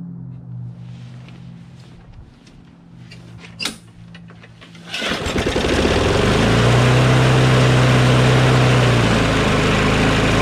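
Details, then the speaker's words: Craftsman push mower with a Briggs & Stratton Quantum engine, started in about 23°F cold after carburetor cleaning and priming, races at a fast, steady, high-pitched buzz with very high rpm because the governor spring is overtensioned (tab pulled out too far). "as you can tell the rpm is very high"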